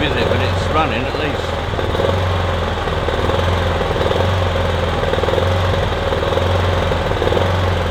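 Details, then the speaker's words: Kipor Sinemaster IG2600 digital inverter generator, just over 2 kW, stored in a garage for years, running on choke after spray was put in; its best run yet but a steady low drone with an uneven, lumpy, slightly hunting pulse; rough running. "It's the bestest run yet. It's not exactly smooth,"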